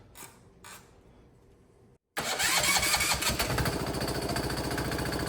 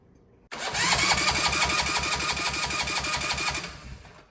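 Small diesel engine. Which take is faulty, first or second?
first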